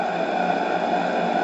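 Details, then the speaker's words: Model steam engine for an RC boat on a vintage boiler at about 2 bar, with a stop valve and reversing: steady running hiss with a faint tone continues after the valve is closed; the valve probably leaks slightly. "c'est vrai qu'elle doit fuir un petit peu puisque regardées je les soi-disant fermée et elle tourne encore"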